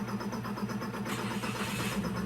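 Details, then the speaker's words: Toyota Wigo that was misfiring with the check engine light on, after clearing the codes with a scanner: the engine settles into a smooth, even idle, the light is gone, and throttle response is strong. "Ayan malakas na yung response so malakas na yyung engine"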